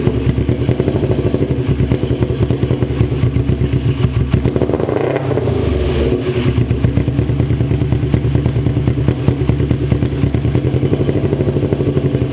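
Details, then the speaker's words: 2001 Kawasaki Ninja 250R after a new carb gasket and float height set, jump-started: steady rapid firing with one brief dip and quick recovery around five seconds, otherwise smooth, running and revving normally. "But hey, it runs, guys. It runs pretty good."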